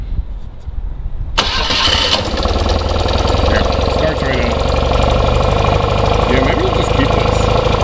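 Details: 1982 BMW R65LS motorcycle cold start: brief starter whir, catches at once and settles into a steady, even idle with no misfires or knocks; normal healthy start.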